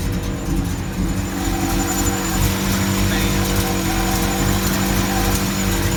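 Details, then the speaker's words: Old Chevy V8 with Comp 280H cam and aftermarket heads (mini starter fitted) at idle: deep, uneven loping beat around two per second, choppy big-cam rhythm; normal lopey cammed idle, runs fine. "Oh, it's gonna comp 280H cam and whirl heads and all that crap on here, so it's a little spicy."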